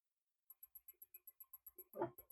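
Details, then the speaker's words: Zesty Nimble remote direct-drive 3D printer extruder, stepper driver reference set to 580 mV (too high), during retraction: rapid clicking with grinding bursts as motor skips steps feeding backwards; stepper skipping steps. "can see when it tries to feed backwards, it's actually skipping steps. You can probably hear it as well. It's grinding the motor."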